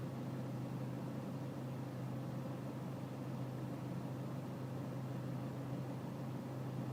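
A diesel idling with a steady low drone and a slightly uneven beat underneath; the idle sounds rough, cause not clear by ear.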